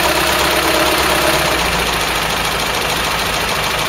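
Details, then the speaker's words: Ford Cortina GXL after a running-gear rebuild and alternator brush-pack replacement, high-rev test with the air filter fitted: steady, even roar with no knocks or misses; normal running. "that sounds alright to me"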